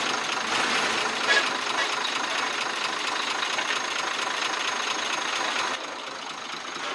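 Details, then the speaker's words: Truck six-cylinder 24-valve diesel at idle, pipe opened at the engine to check: light, steady tick about two per second over a hissy top end with a chuck-chuck sound; mechanic suspects tappets or injectors; unconfirmed. "यहां से आवाज वाजे चुक चुक की सुनाई दे रही है इस आवाज को चेक करने के लिए हमने यह पैप खोल रखा है"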